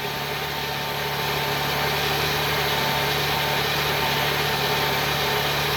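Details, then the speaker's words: 2000 Ford Windstar SEL, 3.8 V6, 204,000 miles, rebuilt motor and heads, cold start after two days, AC off: rough idle with a low shaky pulse and heavy vibration worsening with slight throttle; new EGR, DPFE, plugs, gaskets, clean IAC, no vacuum leaks found; cause unknown. "i don't know if it's visible yet but it's vibrating quite quite heavily here one flight throttle [Music] and it just gets progressively worse"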